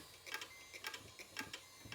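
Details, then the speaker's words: Power supply fan in an old 2000s computer, ticking getting more frequent after restart: light high-pitched ticks in quick pairs about twice a second; dry or worn fan bearing suspected, owner plans to oil the bearing. "It's getting more frequent. Actually, you know what? I bet we can perform some operational surgery on this. Just get in that bearing."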